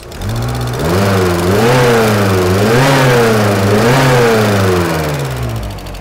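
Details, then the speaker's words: VW Corrado G60 engine, warm, revving up and down cleanly with idle holding; a light fast tick that follows revs over it, from a faulty hydraulic lifter to be checked under the valve cover. "alors j'ai remarqué quelque chose d'aussi bon il ya le pousseur là que je vais démonter le couvre culasse regardez le poussoir qui va pas"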